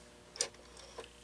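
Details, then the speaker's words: Stromberg 500 rotary dial desk phone, initial checkout: three sparse crisp clicks about half second apart as digit 1 is dialed; dial returns too slowly and digit fails, works when returned quicker. "It is an issue of it going too slow. Yeah, if I return it quicker, it works."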